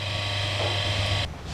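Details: Twin-tub washing machine motor bench-run with a 5 µF/450 V capacitor, windings about 215 ohms combined, spinning left: steady low mains hum with an even whirr, running smoothly before cutting off; normal.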